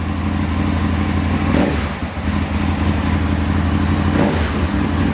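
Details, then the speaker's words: Aprilia motorcycle idling during throttle cable tension adjustment: steady, even idle with a smooth low beat that doesn't climb or stumble, so the cable still has enough free play. Normal idle. "there we go that's idling that'll idle okay"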